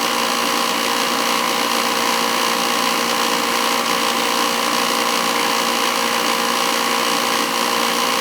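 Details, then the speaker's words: Old oil-fired boiler burner running with limit control jumped out: loud steady roaring hiss with rough fluttering edge; noisy burner caused by faulty air shutter, to be removed. "noisy it's always an issue with those things"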